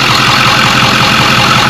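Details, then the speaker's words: Diesel truck after turbo replacement and fuel cooler secondary system priming: steady, even idle with smooth unbroken rumble, no knocks or misses; purrs, no leaks, normal idle. "Truck sounds good though. Purrs. Not bad. No leaks."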